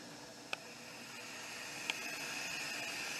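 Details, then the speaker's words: Nesco electric pressure canner during its 10-minute steam-venting countdown, low-pressure valve closed and exhaust open; soft steady high hiss with faint clicks; normal air purging before pressurizing. "Now it's all coming out here. My exhaust is open. And it will build up or let that steam out for 10 minutes so it steams real good. That's pushing the air out."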